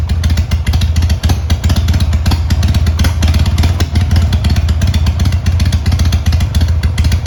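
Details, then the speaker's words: Harley-Davidson Sportster 883 after rejetting the carb on the bike, previously wouldn't fire cold without choke: started on choke, deep lumpy V-twin lope with an even beat and no misses; runs cleanly. "Okay, well, it runs."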